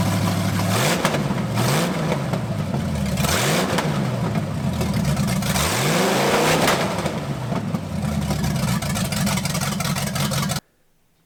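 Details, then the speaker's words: 1980 Dodge short-bed truck with big-block V8, first run in 14 years, during cam break-in after points-to-electronic-ignition conversion: revs up and down cleanly several times under background music, no misfire or clatter; running strong and healthy. "i think everything went okay for the cam break-in process i was a little bit worried there but once we changed over to this electronic ignition thing started to kind of look up and work a little bit better"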